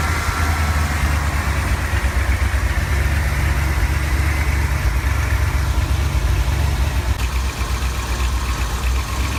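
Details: 1970 Ford F250 V8 after carburetor cleaning and fuel priming, first start: fast steady idle that never settles low; truck also stalls when stopping; later traced to a corroded distributor cap.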